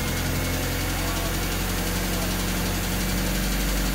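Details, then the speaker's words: Honda D16Y8 with P28 ECU chipped to a base map, distributor timing set to 16 degrees, old spark plug wires: rough hunting idle that stutters and nearly stalls once the throttle is released; cause unresolved, before the new plug wires and the cleaned IACV are fitted. "it's still running kind of weird um still having that hunting kind of idle um stuttering and almost kind of failing"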